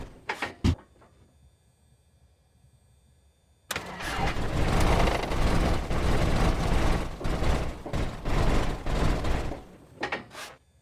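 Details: Cessna 172 aircraft engine start-up: several short cranking bursts, then a long labouring crank with irregular pops, backfires and surges that never settles into a clean run. A hard start with backfire.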